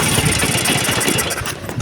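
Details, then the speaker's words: Vespa two-stroke just started after an engine rebuild with clutch boss repair: putters with a rapid, slightly uneven beat and crisp exhaust chatter; runs fine but is still stiff and cold, and needs warming up to run smoother. "Alhamdulillah ni Min sudah nyala ya cuman masih berat teman-teman karena baru nyala ya teman-teman"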